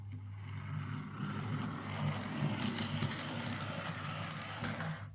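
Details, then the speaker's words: Hornby R2178B 0-6-2 Class N2 model locomotive, no axle bearings, test run on layout: low growl, lurchy uneven running, clicky rasping in reverse; pickups suspected. "like yeah it's a wee bitty growly and a bit lurchy um and it's making a bit of a clicking sound in Reverse"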